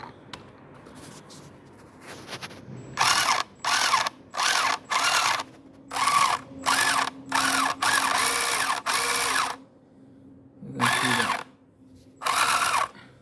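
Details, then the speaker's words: Car lifted off the ground: repeated half-second bursts of harsh ratcheting with vibration from the central gearbox assembly when driving forward, only motor sound in reverse. It ran smoothly for the first few days. Gearbox ratcheting noise. "Now I'm going to move it in front, and you can hear the sound now. See, when it moves in the reverse direction, there is no sound."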